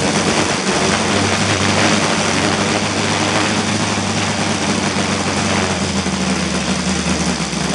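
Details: Saito FG-60 R3 spark-ignition model engine at low idle while Hall sensor timing is moved toward later ignition: heavy rough low drone and shaky buzz; excessive vibration showed no clear relation to sensor position, cause unresolved.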